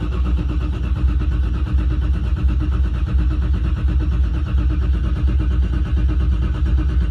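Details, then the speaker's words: First start of the season after sitting: deep, even cranking pulses at about 86 a minute with no firing, fuel pumps off, cranking to build about 20 psi of oil pressure before starting; normal cranking. "This usually takes a little while. Then I stop for a little bit. I start it again. And here we go. I'm building up pressure."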